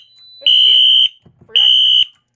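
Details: Radionics D7022 fire alarm demo panel with a BG-10 pull station, after a smoke detector magnet test and reset; two loud half-second horn blasts with a gap, as the panel went back into alarm because the pull station was never reset.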